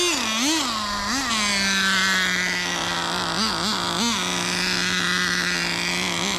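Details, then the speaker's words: Nitro RC car fitted with a tiny turbo: high buzzing engine that stumbles and dips in pitch, then dies, and the transmission won't engage. Smoke from the pipe; owner suspects too much fuel and flooding. "oh no dude I don't know I don't know what's happening transmission don't work she dies on us"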